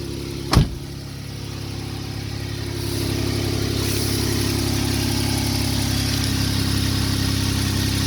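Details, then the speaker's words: 2012 Jeep Wrangler 3.6 V6 idling nice and quiet after an exhaust leak at the driver's-side crossover pipe flange, whose bolts had rotted, was fixed by sandwiching the pipes with two split flanges and long bolts; steady low hum, no ticking or puffing. "right nice and quiet no more leaks"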